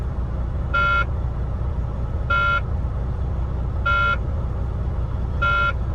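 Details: Semi truck cab warning buzzer beeping about every 1.5 seconds over steady diesel idle, parked in the yard before hooking the first trailer; cause unexplained, maintenance told to check it.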